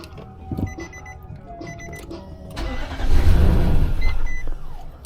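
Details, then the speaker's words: 2015 Infiniti QX80 after fitting a donor ECM with the original EEPROM data: uneven cranking at about four beats a second, then a rough, ragged catch and run. Compression sounds bad; cause unconfirmed. "Runs. Compression sounds like shit."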